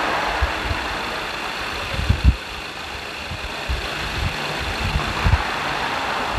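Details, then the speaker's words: 2.2 diesel after injector repair: new valve sets and nozzle tips fitted, values reset; engine idles with steady clatter and soft even thuds, no misses, all cylinders balanced; normal diesel idle. "ในหัวฉีดชุดนี้เราก็ทำการเปลี่ยนชุดวาล์วใหม่นะครับทำการเปลี่ยนอ่าตัวนมหนูหัวฉีดใหม่นะก็คือนมหนูฉีดน้ำมันใหม่นะครับพร้อมกับทำการปรับตั้งรีเซตค่าใหม่นะครับตามขั้นตอนการซ่อมของทางทีมงานเรานะครับเครื่องเสียงเครื่องยนต์ก็ประมาณนี้นะครับ"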